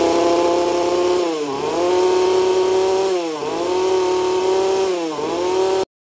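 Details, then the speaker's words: Husqvarna 120/236 chainsaw after a carburetor fix for a fuel/throttle problem: a high, steady two-stroke scream dips three times under throttle and recovers cleanly each time; running crisp and healthy. "When we complete this event, the carburetor application is like this. Yes, I will make you listen to it to hear its sound."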